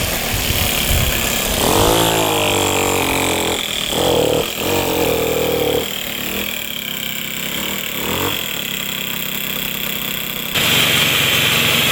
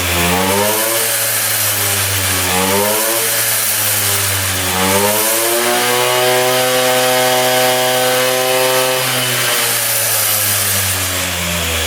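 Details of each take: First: 1978 Puch two-stroke moped ridden uphill: buzzes unevenly, pitch struggling to climb under load, boggy and short of power. The owner suspects a partially clogged exhaust pipe; later the pipe was found packed with carbon. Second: 1978 Austrian Puch two-stroke moped, just revived after 37 years: buzzes cleanly, pitch climbing and falling smoothly with each rev, no misses or knocks. It revs out completely with no leaks.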